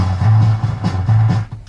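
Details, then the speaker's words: Citronic Pro-1000 amplifier, one channel playing music: heavy, blurred, bass-smeared sound with almost no treble; channel distorts, its peak light stays on with no speaker and goes out when connected, cause unknown. "Okay. So just a distorted channel. Now the peak light goes out when the speaker's attached."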